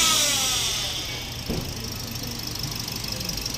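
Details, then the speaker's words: Toyota Vios Dual VVT-i CVT: whine fades as revs drop, then rough rattling idle; deformed transmission oil pan contacting the strainer, after alternator bearing, water pump and tensioner were already replaced; pan to be fixed and fluid changed. "Nakikita niyo yung transmission oil fan niya. Ayan oh. Deform."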